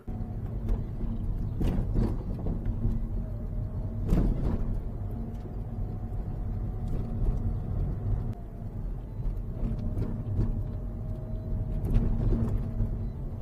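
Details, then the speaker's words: Manual Mazda driven over repeated small bumps: loose clattering rattle from the rear; rear bumper mounting clips and clip holes worn smooth, confirmed because it went quiet when tied down with rope. "好了，我们可以断定了这个异响呢又出现了就哗啦哗啦这个异响，其实不是铁板响，就是后保险杠因为它这些卡扣呢都磨光了，保险杠那些卡扣孔呢都已经磨光了就是因为这个保险杠响并不是什么别个响。"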